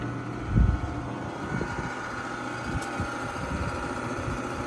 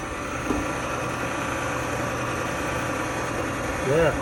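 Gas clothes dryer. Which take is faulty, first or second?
first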